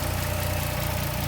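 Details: 2010 Dodge Challenger after crank-no-start fixed by swapping parts in the front fuse box: steady even idle with smooth low pulse, no misses, knocks or stumbles; runs cleanly.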